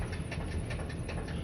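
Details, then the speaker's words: 2012 Ford work van idling, moved in reverse and forward: sharp, regular knocking about five or six times a second over a low engine rumble. The noise does not change with movement; definite engine knock, likely bottom end. "You can hear that it has a knock on it on the engine. That noise that you are hearing is engine noise. Inspection is good through January of 2024, but it does have a definite engine knock."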